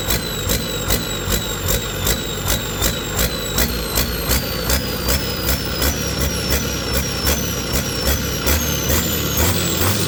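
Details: Detroit 40 series generator turbo diesel (rebranded Navistar DT466, possibly DT530), sat outside 5+ years, after bleeding injectors: diesel note swells and drops about 2.5 times a second, throttle hunting at no load; governor suspected, unconfirmed.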